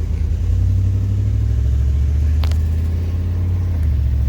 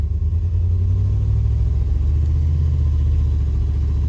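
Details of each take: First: 1996 Suburban C1500 with 4L60E, previously in limp mode, after replacing the solenoids, pressure plate and wiring harness, driving: steady low rumble, and the gear change goes through without flare, slip or clunk. Normal upshift. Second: 1996 Chevy C1500 Suburban, 4L60E transmission stuck in limp mode, with failing shift solenoids found as the cause; it won't engage some gears. A steady low engine drone holds revs with no shift under load. Engine revving without proper shift.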